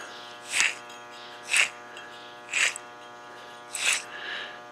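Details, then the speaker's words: Front wheel bearing hub from a 2012 Cadillac CTS, removed and spun by hand: four short gritty whirring bursts about a second apart; worn bearing that caused a groaning sound inside the car, being replaced. "It makes this god-awful groaning sound inside the car. So, yeah, this bearing was definitely toast."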